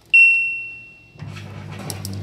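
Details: LG LD2040WH dishwasher after door micro switch repair (previously wouldn't start): one clear high beep, then water and motor noise pick up as the door reads closed and the wash cycle starts; normal start beep.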